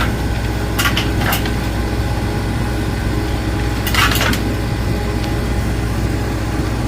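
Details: Cornelius ice maker, newly installed, on initial startup: steady machine hum with two short bursts of clattering as ice falls from the evaporator. This is a normal harvest.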